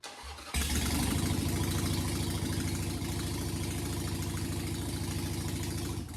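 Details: 2005 Harley-Davidson Sportster 883 after no-start diagnosis and spark check, plug leads reconnected: short crank, then catches and settles into a steady, even lumpy twin idle with no misses.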